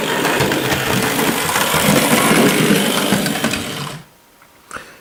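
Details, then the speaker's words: Hornby Dublo LNER N2 tank model locomotive: light even whirring with soft fast wheel clatter, no grinding or rattle; normal quiet running, unlike another noisy loco. "not a lot was it really so watch this engine that wasn't a lot of noise either was it"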